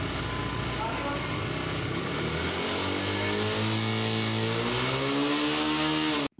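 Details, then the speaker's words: TVS Raider 125cc BS6 bike, 2500 km, after fixing a missing/jerking problem: engine note climbs smoothly from a low rumble as throttle opens, no hiccups or missing; pulls cleanly now. "हमारी okay होगी bike में कोई missing नहीं"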